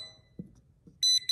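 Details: Klein Tools NCVT-1 non-contact voltage tester, back in audible mode: two soft clicks, then sharp, high, evenly pulsed beeps at a steady pitch; normal live-voltage warning tone at an outlet.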